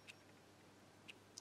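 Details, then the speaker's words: Lavet stepper motor taken from an old electromechanical quartz alarm clock, driven by 1 Hz coil pulses, seen turning: crisp, even ticks about once a second in a quiet room; normal ticking. "here we can see the gear that rotates with one revolution per second or half a revolution per second I think and that's making the tick or the sound the typical sound the t's alarm clocks make"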